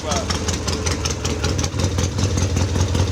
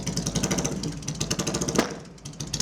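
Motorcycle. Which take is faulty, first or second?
second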